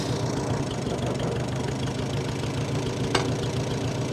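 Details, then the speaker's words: 1945 Farmall H tractor, long sat, started to drive off the trailer: steady low chugging with an uneven, lumpy beat and one sharp crack near the end. Running better than before but still rough; cause unclear. "I don't want to jinx myself but it's running a lot better woo woo we made it we made it we're [Music] running woo she's running not well but she is running"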